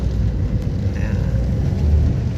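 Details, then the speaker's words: Car after repair, with the engine support replaced and the throttle body cleaned: smooth, even low engine drone with no knocks or rattles; the clunking is gone and shifting and power are fine. "Okay na yung sasakyan ni sir, ayos. Wala nang kalampag at okay na rin yung kanyang shifting, yung lakas."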